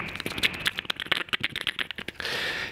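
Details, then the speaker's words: Old, abused Mackie 1604-VLZ-Pro mixer before DeoxIT cleaning; irregular pops and crackles, popcorn sound with audio breakup as the gain knob turns, music underneath, scratchy dirty potentiometer. "kind of hear that break up and you really hear it with the gain knob these"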